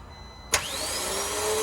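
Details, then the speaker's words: 2014 Vauxhall Vivaro 1.6 CDTI non-runner with new diesel pipes and rail: starter clicks in and spins up with a rising whir but the engine never turns over; pinion not engaging, ring gear possibly ruined by prolonged cranking (suspected). "it's not engaging at all so it was probably again this is just a guess we're not going to know until we find the root of the problem but we're thinking maybe it was a bit of a slow starter and they've wound that over so much that they've just ruined the ring gear"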